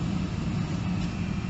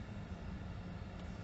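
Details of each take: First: Mercedes SL heater blower after a fault on the motor's return feed was bridged with temporary cables (condensation suspected): at full speed it gives a steady, even low whoosh with no surging, rattle or squeal. Normal blower. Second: Mercedes SL heater blower motor, previously temperamental via its control switch; with the interior side panel removed, a faint steady low hum as the blower suddenly starts working on its own, traced to a bad/loose connection in the feed wiring.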